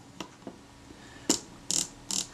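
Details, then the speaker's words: Kodak Retina IIa camera being reassembled after service, with the film advance rotated clockwise: crisp, even ratchet clicks showing correct, normal engagement. "hear that clicking in that's good"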